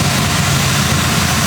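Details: 1940 Ford Tudor street rod V8, warm at about 190°F with good oil pressure, idling around 800 rpm after carb spacer reinstall and plug cleaning: steady even low rumble, no knocks or misses; normal idle.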